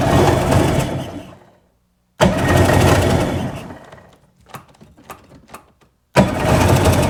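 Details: Sea-Doo engine after carb line repair and clamping, two bursts of fast even cranking with no catch or rise into running; lots of fuel coming out, compression check next; turns over but won't fire.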